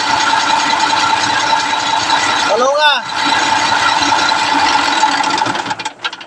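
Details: CAMC dump truck diesel that would not start, after replacing the faulty part; cranks briefly, catches and settles into steady even run: normal engine start.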